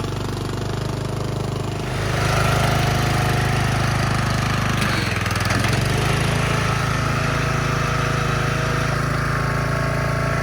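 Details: Craftsman LT1000 yard tractor after revival service (new battery, spark plug, fuel lines, oil and filter, belts, tire tube), driven down ramp: single-cylinder engine picks up to a steady, even run with no misses or knocks; sounds healthy.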